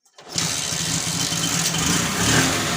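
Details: TVS XL 100 first-model moped with a starting problem, first start after repair work, tank refitted and fuel turned on: quick catch after a short crank, then a steady, busy idle; starts and runs cleanly.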